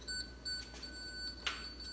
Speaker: so right now it's beeping rather slowly because we're pointing at a root but let's change to this wall again you can hear it beeping faster faster and then if we get closer